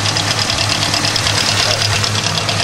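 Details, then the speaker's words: Hyundai Tiburon 1.8 L with aftermarket exhaust headers replacing a bad manifold; light, quick metallic ticking over a slightly rough idle, fading when revved; owner was told lifters but is unsure: engine ticking at idle. "the noise sounds like it's coming from here not sure really what the noise is coming from I've heard it's lifters and it doesn't sound lovely like it sounds kind of bad right now"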